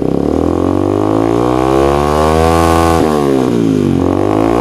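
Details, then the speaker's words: Yamaha Vixion with reported battery not charging, throttle blipped: single rises cleanly in pitch and drops back, smooth with no misfires or rattles; charging measured 12 V standby, 13 V idle, 14 V revving, so charging is normal. "suaranya kenalpotnya ini mengganggu kenyamanan tetangga"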